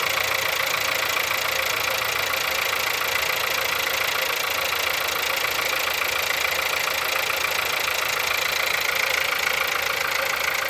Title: Холодный пуск. Стук в двигателе. Пробег 176000.